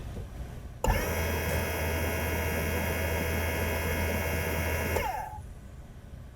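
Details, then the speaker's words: 2008 Mercedes CL63 AMG dynamic seat air pump in the trunk, run by a scan-tool active test, hums evenly for about four seconds and shuts off. Pressure reaches only about 240 against roughly 2,000 expected, so the system does not hold pressure. "well, the pump's working, but I don't know if it's if it's building pressure, cuz you see the pressure drops back down there. It's not what we want."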